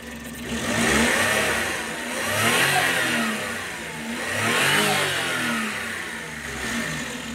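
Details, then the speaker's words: Suzuki Wagon DA64 turbo engine revved after the turbo was refitted, to check whether it is still noisy: revs rise and fall in slow swells with the turbo whistle following, no grinding or rattle; normal. "So baba natin tapos i-rev natin kung maingay pa ba to."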